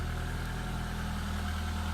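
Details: 1993 Peugeot 205 Style, 1.1 litre petrol, unmodified engine, garaged and unused for 5 months, replacement back box fitted five years ago: a smooth, even low idle with a steady beat and no knocks, ticks or misfires; sounds healthy.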